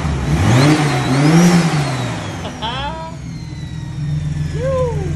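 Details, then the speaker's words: Datsun 280ZX with a turbo L28E engine at its first start on a newly installed Haltech 550 ECU: clean rises and falls in revs with turbo whistle sweeping up and down and no knocks, rattles or top-end noise, a smooth, healthy engine. "alrighty that is it guys the car freaking runs and runs really nicely as well i forgot how good this engine sounds there's no noises up top or in the in the motor whatsoever which is super awesome it's so smooth"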